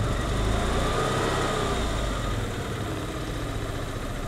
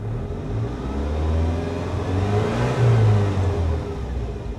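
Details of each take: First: 1988 Saab 900 Turbo that sat for decades, just after a cold start: low, uneven idle rumble that loses strength partway through; rough running, owner suspects clogged fuel injectors, and it later idles fine. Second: 1988 Saab 900 Turbo that sat for decades, now running after repairs: engine climbs smoothly through a rev and settles back, pulling clean and even with no stumble or flutter; normal revving.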